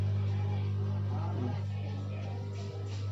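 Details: 2N3055 transistor amplifier at power-on with series test lamp glowing: steady low hum with no program sound; output transistor found shorted, resistors burnt and a part burst from heat. Mains hum.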